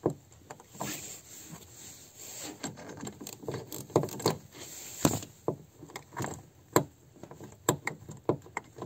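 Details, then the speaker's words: Lada Kalina door: uneven creaks and dull clicks as the door swings through its travel; worn door check strap, which also knocks over bumps and fails to hold the door open, fixed by replacing it. "если вот эти вот ограничительный изношенный во-первых у дверь не будет фиксироваться в открытом положении и скрип скрипеть будет при открытии"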